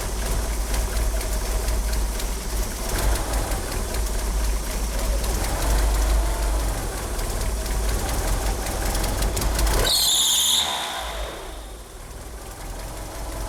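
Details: Car fitted with 850cc fuel injectors idles rough: lumpy, wavering idle, then a brief high chirp from the slipping power steering pump belt; it also won't rev up. Cause not confirmed.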